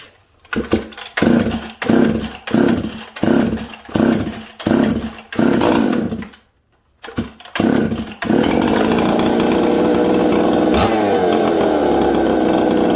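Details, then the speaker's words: Husqvarna 266XP two-stroke chainsaw, stone cold and not run that day, after fixing its intermittent running fault and fitting a carb from a 385: several pulls, then it catches, settles at once into a steady even idle and restarts easily; normal cold start. "hey okay listen how it just settles down idle and goes about his business restart"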